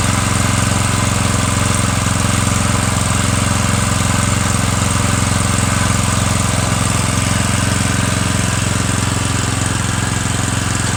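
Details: Murray 17.5hp riding mower with 42-inch deck after new Stens 265-031 deck belt and deck install, gas leaking at the side: steady even single-cylinder thrum with deck spinning, no knock or squeal; PTO clutch slightly sticky, mows well, normal running.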